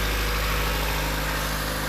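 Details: Honda Civic idling just after a part was installed: steady, even idle with a smooth low hum, no misses, ticks or surging; normal, no fuel leaking.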